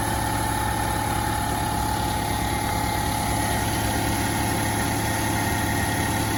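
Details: 2011 Toyota Camry 2.5 four-cylinder, 367,740 miles, owned since new, cold start at about 25 degrees: steady, even cold idle hum, constant tone, no knocks, ticks or misses; engine running smoothly.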